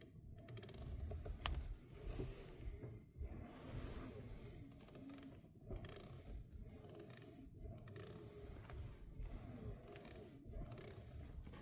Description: Happens when turning the steering wheel.